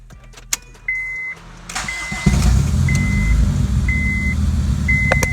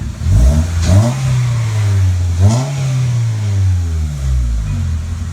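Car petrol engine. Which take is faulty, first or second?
first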